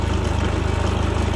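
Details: New Predator 3500 inverter generator, warmed up and restarted without choke on the run setting: steady, even low thrum with a regular firing pulse and no misses or knocks; idling normally.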